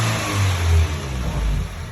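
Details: Subaru WRX: engine blips up then drops back to a slightly uneven low drone; an odd noise whose exact source can't be pinned down.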